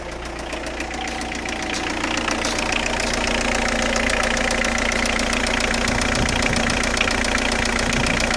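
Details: 2003 Citroën Saxo engine: steady idle with sharp regular clack about two or three per second, rhythmic top-end clatter; cause not yet pinned down.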